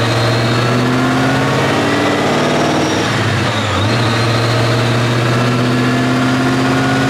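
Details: 2014 Shelby GT500 on a dyno, 12:1 compression Trinity engine, 17° timing, pull toward 7,000 rpm: pulls hard, then the note stumbles and dips before recovering; still misfiring under wide-open throttle after suspected spark plugs.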